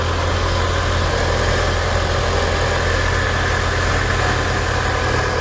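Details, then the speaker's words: 2011 Mitsubishi Eclipse 2.4L warming up: steady, even idle with low hum and no misses, knocks or ticks, seems pretty good; normal warm-up idle. "We'll let this warm up. It seems pretty good."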